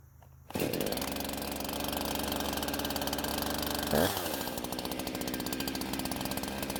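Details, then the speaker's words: Husqvarna chainsaw that wouldn't start, now fitted with an aftermarket carb, on 89-octane ethanol-free gas with synthetic two-stroke oil at 50:1; steady high-pitched scream dipping briefly into the cut and recovering cleanly; runs very well and cuts okay. "But it seems this saw runs very well and it seems to cut okay."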